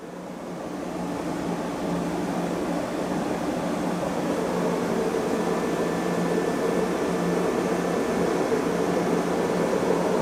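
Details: Beko D5 7101 washing machine with plastic tub, before drum bearing and seal replacement: continuous roar and hum rising over several seconds as the drum spins up, a steady growl from worn drum bearings.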